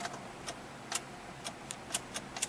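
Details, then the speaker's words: Car that won't start, with the theft light blinking on the dash: only faint irregular ticks and no starting. The immobilizer is blocking the start because of a problem with the key. "nothing but you see that theft light is blinking so the first thing you want to do is you want to take a look around and see what's going on with the key sometimes the key is no good"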